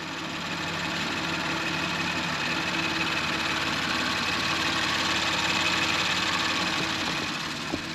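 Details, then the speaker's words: Audi RS5 2.9/3.0 VAG V6 after a rocker-arm failure engine rebuild, first run after reassembly: smooth, even engine note with no tapping or knocking; normal running, the previous clatter is gone. "Päris rahul olen, et enam seda lõbinat ei ole, mida ma ennem kuulsin."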